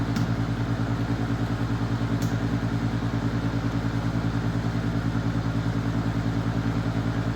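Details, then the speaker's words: Secondhand Master diesel radiant heater, first start after purchase: steady blower hum with an even low pulse about 2.5 per second, no igniter heard and no burner roar catching; heater does not ignite, cause unknown. "okay this ain't working it have to have some work done"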